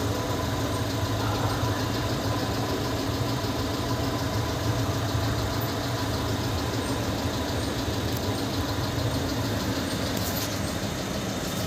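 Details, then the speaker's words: VW Polo 1.2 CJL diesel with a no-start (P157000 ECM locked), after replacing cracked fuses SC11 and SC13: starts easily and settles into a steady, even diesel clatter with no misses or knocks. Normal start and idle. "So ಅದನ್ನ fuse ಅಲ್ಲಿ ಹಾಕಿ check ಮಾಡಿದ್ಮೇಲೆ ನಾನು ನಿಮಗೆ ತೋರಿಸ್ತೀನಿ vehicle ಆರಾಮಾಗಿ start ಆಗ್ತಾ ಇದೆ"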